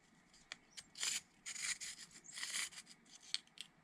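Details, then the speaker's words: Arrma Vorteks RC truck gearbox, during reassembly after packing parts with grease, turned slowly by hand: uneven gritty rasping bursts instead of smooth meshing. Gear grinding; cause unknown, owner suspects a missing part. "Why did that feel like it was grinding? That's odd. Why is that gear grinding?"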